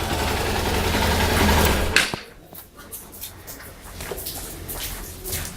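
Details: Suzuki GSR 150i at ignition-on: a steady buzzing hum for about two seconds that then cuts out, the fuel pump priming pressure for the injection, which is normal.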